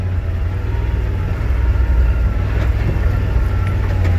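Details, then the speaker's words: Yamaha RMAX 1000 side-by-side descending downhill on engine braking at about 4 mph, heard inside the cab. A low, steady drivetrain hum with no rattles or squeaks; a small rear clank is suspected as gear lash or brakes. Quiet cab. "very quiet inside the cab there are no rattles no squeaks"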